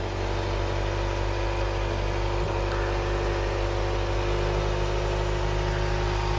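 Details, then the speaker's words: Ford Cortina Mk3 four-cylinder, sat in a field since 1983, started after charging the battery and filing the points: steady, even idle with a low hum and no knocks or misses; normal idle. "I'll get the petrol through and it started clock sprung into life the car does not want to die and tell you that much"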